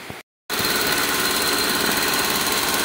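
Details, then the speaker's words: Toyota Soluna idle after replacing the spark plug wires: steady, even idle with no stumbling or misfiring and the engine running on all cylinders; the earlier rough idle and blubbing exhaust are gone, so the idle is now normal. "oke nah ini ya ini untuk mesinnya udah hidup dan ini udah enggak pincang lagi ya enggak merebet lagi Oke ini udah normal mesinnya udah nyala dan ini udah normal lagi"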